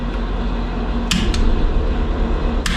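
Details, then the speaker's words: RV rebuild, key on before cold start: steady low drone with light irregular clicks, no knock or squeal; compressor running normally. "like the compressor works, that's good."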